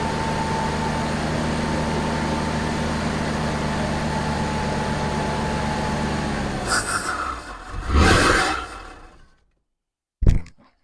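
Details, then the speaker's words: 1971 Buick Skylark: steady idle about six seconds, then sags, stumbles and quits as if fuel-starved; fuel level in tank unknown, owners suspect mechanical fuel pump not drawing fuel, perhaps dried diaphragm. "So, that fuel pump just might not be bringing the fuel up."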